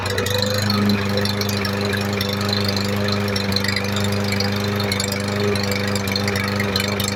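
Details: MTD 139cc OHV lawn mower engine, a trash find that had water in it and was thrown away, running after reassembly: steady, even idle with a clean, unchanging beat; normal running.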